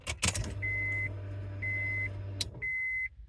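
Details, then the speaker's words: Acura RSX 02-04 after aftermarket fuel pump relay install on blue/yellow pump wire, key turned on: sharp relay click, then steady low pump hum about two seconds with chimes; pump primes normally before start. "so you heard the relay click pump Prime and then we'll go ahead and start it and there you go"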